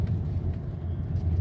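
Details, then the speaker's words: 2009 Lexus GS350 post-repair test drive over the rough road course, recorded in the cabin. An interior rattle was traced to one loose bolt under the cover and tightened. Now a steady, low road rumble with no knocking or rattling, a normal quiet ride. "제가 볼트 하나 조이니까 이렇게 소리가 죽었어 지금요 조용하죠 밑에 다 뜯어 놓은 상태에서 그 다음에 볼트 조인 다음에 시운전 중이야 지금 소리가 지금 안 나고 있습니다"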